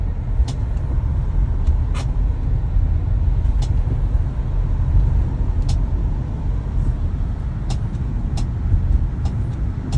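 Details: Tesla Model Y while driving: sharp light clicks every second or two over steady road rumble; the clicking returned within a week of a service visit for it, and the source is still unknown.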